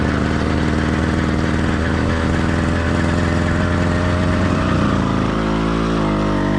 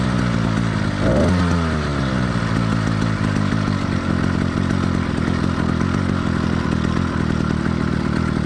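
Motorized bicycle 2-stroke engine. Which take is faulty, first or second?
second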